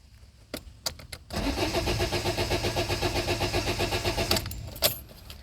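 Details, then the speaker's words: 2008 Citroën Nemo van that won't start: the starter churns steadily at about four beats a second for several seconds without catching. No fuel is reaching the combustion chamber; a blocked fuel filter is suspected, not confirmed. "So there's obviously no fuel coming through the system. It just keep cranking and cranking and cranking."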